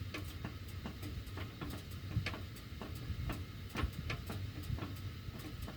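Quiet, irregular sharp ticks several times a second from the ducts with the heat on; cause not identified.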